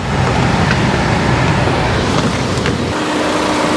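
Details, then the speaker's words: 2012/2013 Ford Focus ST with an overheating complaint and a cooling fan reported not coming on, engine warm, A/C switched to full: steady rushing whoosh, then a faint even tone; the radiator fan comes on and runs normally, suggesting an intermittent fault. "so right now the fan is on and working let's uh let's turn off the air conditioning and see if that stays on because it is pretty warm"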